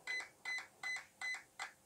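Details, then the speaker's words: RC car ESC programmed without a program card: five evenly spaced high double-chirps about every 0.38 s, with no motor noise. The ESC is counting through its programming items. "now it's going to start beeping the current setting and i can hear a long beep and a short bit okay so that means that's at six which is what we set"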